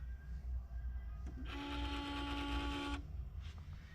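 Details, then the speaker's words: Peugeot 308 factory stereo head unit stuck in a boot loop: a short startup jingle plays about a second and a half then cuts off as it keeps rebooting, before replacement with a double-DIN unit. "again in a minute stuck in like a boot loop and that's the screen"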